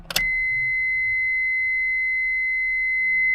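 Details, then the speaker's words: Honda Civic (7th gen, Acura ES) after the key is turned off: a brief click, then a steady high-pitched electronic tone, the headlights-left-on warning chime; it stops once the headlights are switched off. "you forgot to turn your head head lights off guys so to get rid of this sound just do this and just like that that annoying beeping sound has gone"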